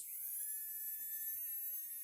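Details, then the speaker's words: Small battery-powered DC motor from kit for a homemade airboat, switch just wired: steady even high-pitched whine with no roughness, turning on and off with switch; running normally. "Okay, and I can turn it on and off, and the motor turns on and off with it."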